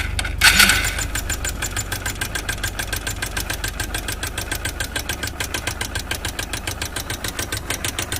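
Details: Single-cylinder motorcycle engine started after clutch chamber refit and oil refill, head cover bolt removed to check oil flow: catches, then settles into a quick, even idle beat free of rattle or knock; normal idle.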